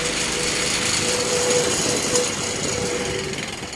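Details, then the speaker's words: Fan with blades needing a lot of work keeps bouncing around; harsh uneven rattling and shaking with a faint ring on top; damaged blades throwing fan out of balance, owner fears it will fall apart. "swear this thing is probably gonna fall apart and chop my head off"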